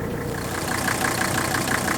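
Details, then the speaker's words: Mercedes W126 300SD diesel idling with the hood open: fires quickly, vibrates a lot (suspected bad motor mounts), with an even, crisp clatter and firm pulses about eight per second. Sounds healthy with good compression. "To me, it sounds basically healthy. It's got a nice kick to it, demonstrating good compression."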